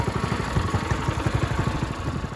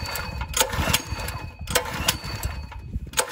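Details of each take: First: Ryobi 3100 PSI pressure washer, 212cc idle-down engine, after cleaning its clogged carb with the throttle set manually and the pump still bad: small single-cylinder putters quickly and evenly with no misses, surges or knocks; runs fine. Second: A Ryobi 3100 PSI pressure washer's 212 cc engine sputters and pops unevenly running only on starting fluid because the carburetor is clogged; carb to be removed.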